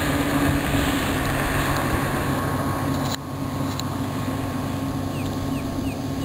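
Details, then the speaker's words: Outboard on a restored 1973 Checkmate boat with new transom, heard pulling skiers: steady, even drone at constant pitch with no misses or knocks over water and wind; hardly strains with this smaller boat, running normally. "this smaller boat here it doesn't even hardly strain the motor uh pulling skiers and you know getting going pretty fast"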